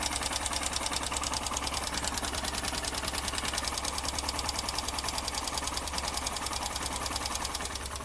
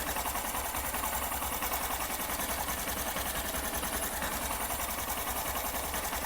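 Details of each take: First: Honda SP 125 BS6 motorcycle at idle after start: light even tick about three per second over the idle; mechanic suspects tappet noise from valve clearance, tappet setting to follow. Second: Honda SP 125 BS6 after tappet (valve clearance) adjustment only, mic close to engine at idle; fast, light, even patter with no tapping, earlier tik-tik noise fully gone, which the owner had feared meant a timing chain replacement.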